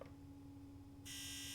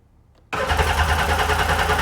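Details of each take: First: Sea-Doo GTX DI 951 (Millennium Edition), rebuilt engine that won't start, low fuel pressure: injector activation test via diagnostic tool gives steady low hum then a sharp high buzz; fuel injectors firing normally, no faults. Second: Sea-Doo GTX DI Millennium Edition 951 DI, rebuilt engine that won't start, fuel pressure gauge reading very low: steady starter churn about three turns a second for about three and a half seconds, no fire at all; cranks but no start.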